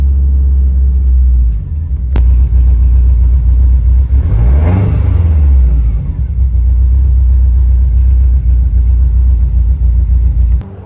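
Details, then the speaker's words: Car on its first drive in two years, after rewiring the knock sensor and tuning the VE table for better throttle response; owner notes the wideband O2 sensor isn't reading: deep, even drone rising and falling smoothly with throttle, no knocks or misses; sounds healthy. "but she's driving she sounds good and healthy got the auto response much better with the ve ve table"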